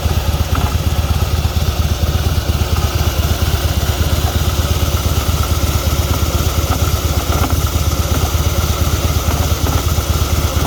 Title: Harley Davidson fat boy 2016 strange noise coming from this part, anyone have same issue?